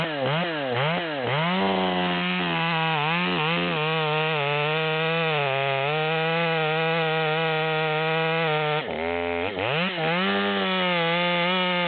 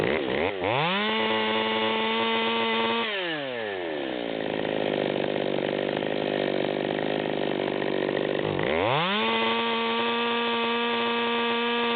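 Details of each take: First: Tuned Stihl MS200T top-handle saw with 25-inch bar (84 drivers, 3/8 chain), cutting near its upper rpm limit after needle adjustment: high scream holds steady strong pitch in the cut and recovers quickly; pulling cleanly, no bogging. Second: Stihl MS200T chainsaw with 25-inch bar, high-speed needle backed out to the stop, revved twice to no-load high idle: scream carrying a blubbering four-stroke burble; rich mixture.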